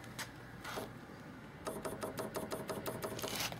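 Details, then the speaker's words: PIC-microcontroller-controlled propane lawn mower, fuel solenoid triggered off a crank angle sensor with adjustable pulse length, being powered up: light, crisp ticking about six clicks a second in a quiet room; the solenoid fires normally. "let me give it a little power here still not it there we go alright so I have a little LED here you can see it and you can hear the solenoid"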